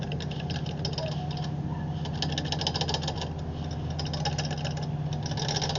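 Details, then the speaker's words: 2008 Craftsman YS4500 lawn tractor non-starter, top end opened (cover bolts found finger-tight): loose, uneven ticking of about two per second over the cranking rumble; valves badly out of adjustment, gaps wide enough for a screwdriver, later adjusted. "You see that? That shouldn't be doing that. That's way way too loose."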